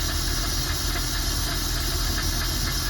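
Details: 4.3 V6 MerCruiser Thunderbolt engine after Delco EST distributor upgrade, base timing set at 1 degree before TDC: steady, even idle with smooth low rumble, no misses or knocks; healthy.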